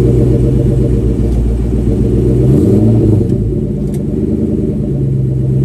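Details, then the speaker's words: Ford Mustang SVT Cobra (Terminator) running, heard from underneath: fast uneven knocking buzz as the rear differential damper bracket moves and contacts the differential housing. "But anyway, so on Justin's car, Justin SVT's car, he still had the bracket, but as you could see, it would move and actually kind of contact the differential. So that's what we were hearing."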